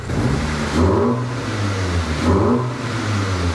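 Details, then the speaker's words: Wrecked MK6 VW Golf R after engine install, which had run rough and shaken until a blown engine-components fuse was replaced: two clean throttle blips, rising and settling smoothly with no knock or miss. "She's purring. Guys, the car is running. She's running smooth. Have a listen."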